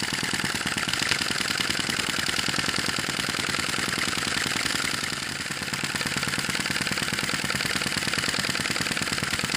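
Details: Sai Hu V1-45 flame-licker vacuum engine, hot and running with a smaller flame at its typical speed: fast, even ticking and puffing with no misses or slowdowns; runs consistently once up to temperature.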